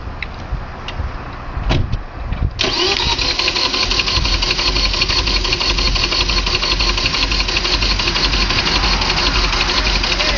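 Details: Vauxhall/Opel Vectra 2.5: starter whirs briefly, then the engine catches into a loud, harsh, steady roar full of hiss; abnormal noise, cause unclear.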